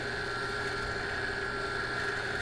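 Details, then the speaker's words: 16 HP lift water pump after its bearings were replaced to cure a loud noise; steady, smooth motor hum with an even tone and no grinding or rumble, running quiet like new from the store. "a bomba ficou novinha novinha novinha novinha barulho de nova da loja"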